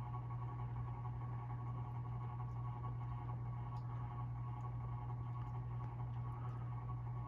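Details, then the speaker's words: 52-inch Hampton Bay Carousel ceiling fan by CEI running in reverse: a steady low hum with a faint buzzy rattle from the green spotlight in the light kit, possibly its mounting bracket. "yeah it's definitely the lights it's a favorite green one again that's making all the"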